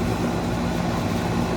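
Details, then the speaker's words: 2003 Carrier 38CKC 3-ton AC condenser with Bristol reciprocating compressor and 3-blade 18-inch galvanized Revcor fan: loud, steady low hum with constant fan drone, no knocks or rattles; normal running, just a loud unit, especially the fan. "so this is also a very loud unit too especially with the fan"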